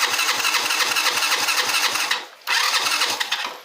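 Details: 50 cc scooter/motorcycle that starts on the kick but not on the electric start; starter motor whirs with even cranking pulses, stops, cranks again, engine never catches. Suspected causes range from battery to starter armature, ignition coil checked; unconfirmed.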